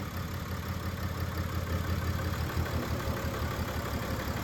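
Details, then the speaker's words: 2013 BMW X5d diesel started after injector replacement and fuel-system priming: settles into a steady, even idle with a low rumble and no knocking. It had been bought as severely knocking and suspected to need a new engine. "Sounds pretty good. I don't hear any knocking, so that's good."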